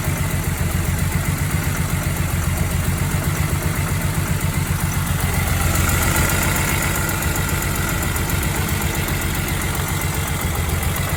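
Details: BMW E46 M3 with no power at low rpm: uneven, lumpy idle with a steady low knock pulsing about 220 times a minute, running rough; cause unclear.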